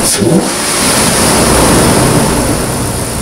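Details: 2008 Nissan Pathfinder V8 with a newly installed Volant Powercore cold-air intake, revved with the hood open. A loud airy rush and hiss rises with throttle: air sucking past the throttle body, normal intake induction noise.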